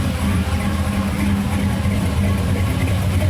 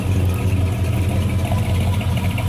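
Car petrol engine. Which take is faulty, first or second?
first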